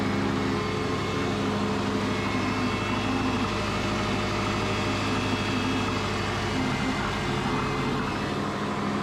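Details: Twin-turbo Subaru Forester build started after fuel lines were secured, checking fuel pressure and leaks under constant pressure: steady, even idle with a constant low drone and no misses or knocks; running normally.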